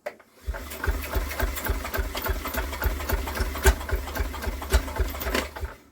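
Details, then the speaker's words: Villiers WX11 engine that would not start, after adjusting the lever screw: uneven string of firing pops, roughly three to four a second, a more pronounced fire with smoke from the exhaust, but it never keeps running. "she's definitely got a more pronounced fire now"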